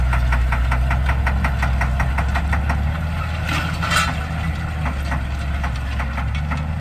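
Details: Challenger MT675D tractor pulling a DMI 10-shank inline ripper under heavy load: sharp, somewhat uneven metallic clatter over the deep diesel drone; diesel injector knock from bad injectors.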